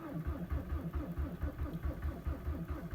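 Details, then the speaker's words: 2003 VW Jetta ALH TDI, 214,000 km, all original, cold start at -19 to -20 °C after sitting overnight with about 20% biodiesel; slow even cranking with faint firing puffs, no start after glow plug cycles; owner suspects biodiesel gelling. "firing a little tiny bit I'm gonna do two cyclists at the glow plugs"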